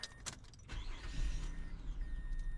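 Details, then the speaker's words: 2005 Mazda 6 with start-and-stall complaint and misleading P0335 crank sensor code: short crank, catches quickly and settles into a low even idle without stalling; mechanic suspects a bad mass airflow sensor. "And it's idling lower. Let's see if it's going to stall out. This car starts. Runs."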